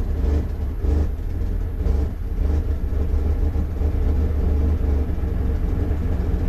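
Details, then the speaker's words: 2001 Dodge Ram 1500 5.2L V8 at idle: a deep rumble that swells and sags as rpm fluctuates wildly, a surging idle traced to a faulty MAP sensor (P0107). "all right is fluctuating like crazy so as you can hear the vehicle check out the rpm"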